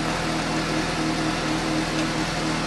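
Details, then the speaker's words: 2015 Suzuki GSX-S750 idling after new OEM NGK CR9EIA-9 iridium plugs at the 7,500-mile interval: an even, smooth idle with a steady hum and no stumbles or misfires. Noticeably smoother and crisper than before. "oh there really does sound smoother I like it yes noticeably a little more crit than it was"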